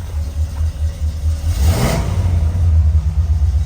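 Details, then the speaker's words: 1970 Pontiac LeMans start after aftermarket alarm install with starter-kill: alarm disarmed, brief crank, then engine catches promptly and settles into a deep, even rumble; clean, healthy normal start. "start a kill turn off the alarm car will crank right off"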